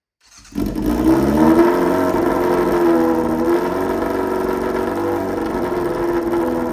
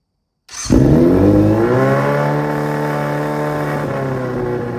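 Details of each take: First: Restored Yamaha Fazer 600 on its first run in 2.5 years, float-area fuel leak just fixed, no air filter, running straight into the carburettors. Barks into life, revs loud and lumpy, then settles to an uneven, wavering idle. Rough running, mixture suspected, not confirmed. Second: Restored Yamaha Fazer 600 motorcycle, previously chopped frame and missing parts, first start in about three years: fires straight up, revs climb smoothly, then settles into a clean, even run with no knocks or misses; healthy engine.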